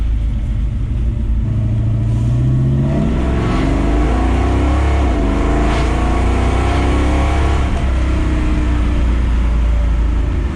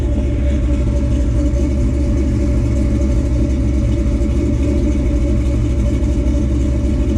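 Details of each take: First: 1957 Chevrolet Bel Air, fully built V8 with three-speed automatic, cruising at low RPM: deep booming exhaust drone with a faint little rattle underneath. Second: Fully built 1957 Chevrolet Bel Air small-block V8, about 500 hp estimated, MSD ignition, old exhaust, three-speed automatic: deep, steady, full exhaust rumble with no misfire or knock; normal healthy revving.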